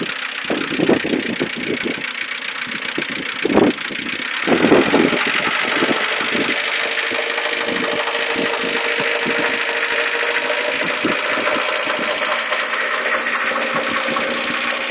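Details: Mercedes A140 starting: engine catches after a couple of cranks and settles to a steady idle with a faint light ticking over the hum; cause unclear.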